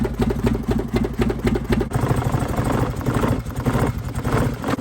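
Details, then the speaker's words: Mitsubishi Mirage after being flooded in a river crossing; idle lumps unevenly at about two beats a second with stumbles; running rough, fuel drawn from the line burns, water in the fuel suspected, fuel pump to be checked. "Andy took out some fuel out of the fuel line because it's not running worth a heck."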